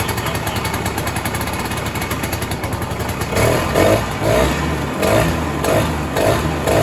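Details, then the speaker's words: 1967 Ski-Doo Alpine twin-track snowmobile, two-stroke, sat many years, now on its own fuel, about 75°F: steady idle, then gentle blips about twice a second returning cleanly to idle; idling fine and tunable. "Man, she's running a lot better, buddy. I barely had to choke it anymore >> on the startup, you know, and then it was just idling fine and tunable."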